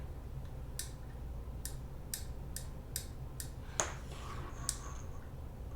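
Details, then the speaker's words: PWM motor speed controller (5 or 10 amp, 12 V supply) for a 3D-printed miniature drill press: sharp, dry clicks over a quiet hum as the dial snaps into its off detent, which cuts current to the output; normal. "So that click is an off position, and that actually turns off the current to the output instead of just turning down the PM."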